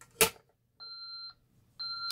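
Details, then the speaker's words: SafeWatch Pro 3000EN alarm panel armed in stay mode with zones bypassed; after a pull station is activated, a click is followed by two-tone entry-delay beeps warning to disarm the system before it goes into alarm. "You can hear it beeping here. That means disarm system or alarm occurs."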